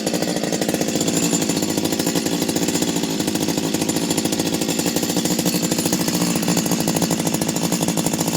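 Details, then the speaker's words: Stihl 025 chainsaw after a full rebuild from the bottom end up, with new seals, original bearings and a modified muffler. Crisp, even two-stroke buzz at steady high revs with no misses, surging or rattles; normal running. "most probably one of the best uh o25 o23 o21 chassis chainsaw I uh ever put together"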